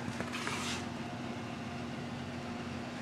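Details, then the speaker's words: Small electric motor that took on water, water shaken out: steady low hum with a faint whir that never builds speed; won't run, judged ruined. "I tried plugging in last weekend and it just you know made the whirring noise so it didn't want to do anything"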